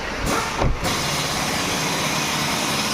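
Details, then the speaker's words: Hyundai Venue after ECM repair: codes P0300/P0301 had come from missing supply pulses to injectors 1 and 2. Engine now blips, then settles into a steady, even idle with no stumbling or hunting. Misfire and RPM problem solved, scan shows no faults. "अपना ECM repair करने के बाद यह अपना missing का problem solve हो गया गाड़ी में।"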